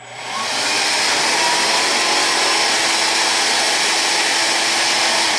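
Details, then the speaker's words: Hoover Air Cordless 3.0 vacuum: light and motor come on, motor hums at an even, airy pitch with no brush beat; brush roll not spinning, either switched off or broken belt. "And the light comes on, the motor comes on, but the brush stays stationary. You should hear it too."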